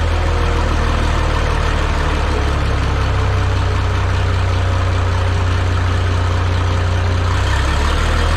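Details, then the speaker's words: Minneapolis-Moline G950 tractor, barely warmed, after manifold leak fix, with new-old-stock muffler: deep steady solid idle rumble, even beat, no tinny rattle or leak; healthy exhaust. "the way the New Old Stock one sounds to me like it's got a nice deep uh sound to it um sounds just I don't know if solid is the way just got it doesn't sound tinty at all it's just a sounds like a big old propane tractor running"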